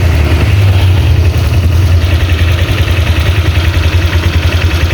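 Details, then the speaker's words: Honda Vario 125 scooter after top-end repair for a rough noise from the cylinder head area, reassembled: steady, even low idle with no knocks or rattles; engine now smooth, no bubbles in radiator. "Itu sangat berbeda sekali ya dari kemarin, itu untuk mesin itu kasar sekali ya. Ini sudah adem untuk mesinnya."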